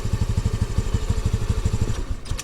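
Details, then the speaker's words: 2022 Honda Navi carbureted bike, cold morning around 28°F, idling off choke: fast, even thumping idle that suddenly falters, coughs and nearly dies; the mixture is too rich and smells like it is on full choke. "those hiccups and stumbles that you hear where it coughs and almost dies out that's because it's too rich"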